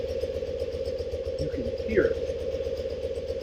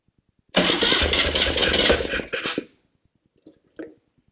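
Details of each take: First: 1974 BMW R90S airhead, warm idle: steady twin beat with a soft uneven burbling gobble on each beat, from the crankcase breather flapper valve fitted upside down; crankcase breather flapper valve gobble. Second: 1974 BMW R90S airhead twin after refitting the crankcase breather flapper valve the right way up (it had been upside down, causing a gobble); engine starts, cuts briefly, then idles with a quick, even patter, no gobble: normal idle.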